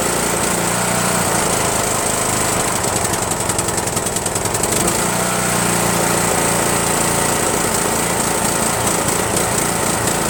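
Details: Rebuilt Briggs & Stratton 17.5HP engine in Yard Machines lawn tractor, after replacing carburetor solenoid with fabricated nut to unblock emulsion tube, no belt pulley: loud uneven chuffing with irregular pops, slight surging; still rough, fuel mixture needs adjusting.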